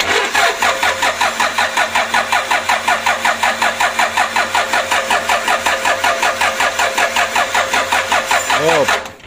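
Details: Rebuilt Toyota Innova 2KD diesel engine on its first start attempt after filling coolant and priming fuel. Steady cranking at about three compression beats a second for nine seconds with no firing. Crank no start.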